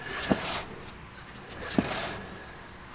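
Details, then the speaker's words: Classic car drum brake just adjusted via the star wheel, wheel hand-spun: soft scraping swish about every 1.5 s. This is normal light shoe drag that will wear in over a couple of miles. "so you see now I'm turning the wheel and you can hear it and it's not just free rolling now that little bit of drag will work itself out over a couple miles"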